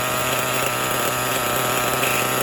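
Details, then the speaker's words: Kyosho Foxx 2.0 nitro RC car, first startup after rebuild, engine not yet broken in: small nitro motor buzzes at a high, steady, even idle at the lowest throttle trim before stalling, but the clutch still seems to engage at idle. "the motor feels good but the clutch seems to be engaging still i mean i am at the lowest possible throttle setting before the thing shuts down"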